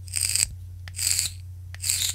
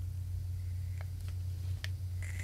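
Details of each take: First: VOOPOO Argus GT vape firing at 45 watts with stock coils: three short bursts of sharp hissing crackle over faint hum; loud coil crackling, a known flaw of the original coils. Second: VOOPOO Argus GT with a Zeus atomizer at about 45 W, held near the microphone: faint hiss with a few soft crackles, much quieter crackle than the original atomizer, over low room hum.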